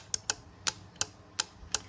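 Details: High Class MMA160 welder, board bench-tested after power-supply (300 VDC section) short: six crisp clicks at uneven intervals with quiet between; relay and contactor switching normally.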